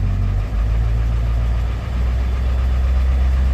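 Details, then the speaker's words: 1991 Ford F250 7.3L IDI diesel V8 at idle: deep rough rumble with uneven knocking, unchanged on plain diesel versus the WMO blend tank; injectors pop-tested low at about 1600 psi, then cleaned. "Here's the sound of it kind of knocking."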